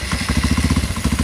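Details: Honda CRF150 supermoto bored up to 200cc with a Juken 5 remap for idle and timing, just started. Even single-cylinder thump at about twelve beats a second, steady with no misses or rattles: normal idle.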